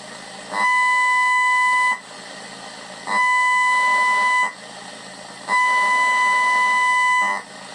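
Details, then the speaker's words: Pioneer SX-750 receiver during restoration, power amplifier turned up to the point of oscillating and detected with an AM radio; three bursts of steady whistling tone over radio hiss confirm power amplifier oscillation, later fixed. "I think that's pretty conclusive that we've got some oscillations going on, and also that an AM radio is a really good way of detecting them."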